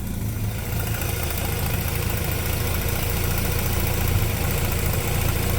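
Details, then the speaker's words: Mazda RX8 idling after MAF sensor unplugged and replugged: low rotary idle with an uneven, stumbling misfire pulse; bad MAF suspected, cleaning didn't help, severe misfire below 6,000 rpm when unplugged. "You can kind of hear the misfire in there. It's not good. I'm sure the exhaust you can probably hear it more from the exhaust."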